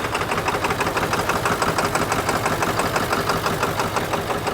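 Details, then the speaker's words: 1997 Ford F350 7.3 diesel after dying with white smoke from water in fuel: loud, uneven, lumpy idle clatter about three beats a second; runs rough, owner hopes it is the remaining water clearing. "I'm hopeful it's just getting the rest of the uh water out of the system"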